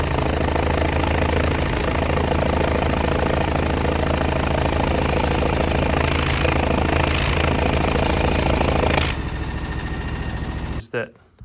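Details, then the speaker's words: 2006 John Deere X720 mower, Kawasaki V-twin, about 722 hours: loud uneven loping beat, right cylinder gradually then continuously dropping out despite plug, coil and injector swaps; owner suspects ring issue, unconfirmed. Cylinder misfire. "everything was good and then it starts gradually missing and then continuously dropping that right cylinder out"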